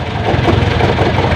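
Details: Owner-type jeep with a 430 diesel engine and 24 V system that wasn't charging because of a rusty fuse box, not the alternator. Steady, even diesel clatter at idle with no misses or knocks; engine healthy.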